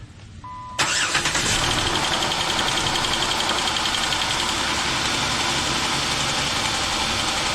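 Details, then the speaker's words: 2007 Jeep Wrangler 3.8L, about 300,000 miles, first start after rocker arm shaft and valve cover replacement: fast metallic clatter over idle, three or four ticks a second, because the new rocker shafts were empty of oil. It then runs well. "Of course, you heard the clatter when it first started up. It's cuz those rocker shafts were empty of oil."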